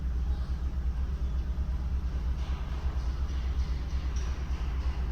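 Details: 2015 Kia Cerato at idle with constant shaking: low uneven rumble with a loping, stumbling beat; misfire counter shows cylinder 4 misfiring, traced to a stuck-open fuel injector.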